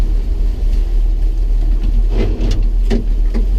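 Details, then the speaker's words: 1965 Toyota Land Cruiser FJ45 with three-speed column-shift manual: low engine rumble, then short harsh grinding rasps as first gear, which is non-synchromesh, is forced in while still rolling. "so you hear that grinding that's me being lazy not coming to a complete stop in first gear cuz the 45s like the 40s of this era are non synchr mesh in first gear"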